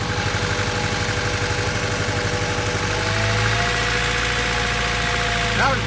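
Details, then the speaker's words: Honda Civic at idle with one fuel injector deliberately unplugged: lumpy, uneven idle stumbling about four times a second; misfire from the dead cylinder. "if it's running rep like that chances are check your fuel injectors check your cabling okay check your wires"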